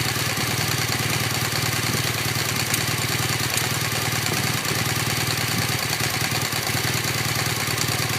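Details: 2015 BMW R1200GS LC (K50) at about 1,500 km: steady boxer idle with a faint, fairly regular light tick of about two per second, clearly from the right cylinder. Ticking of unknown cause.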